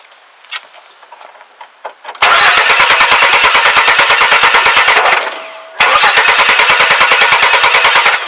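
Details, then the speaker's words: 2001 Chevy S10 4.3 V6 no-start: steady cranking about three beats a second with uneven popping coughs, never catches, sounds almost out of time; cause is a shorting distributor cap, not jumped timing. "and there you go you can hear that it sounds like it's almost out of time"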